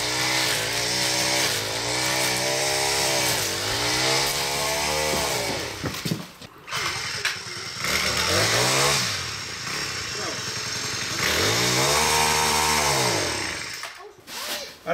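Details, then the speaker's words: New Poulan Pro PP428S two-stroke string trimmer with PP5500P pole saw, factory carb set too lean: revs up, then sags and cuts out twice under throttle; dies at full throttle, owner assumes it is too lean. "it started to die so I'm assuming it's too lean"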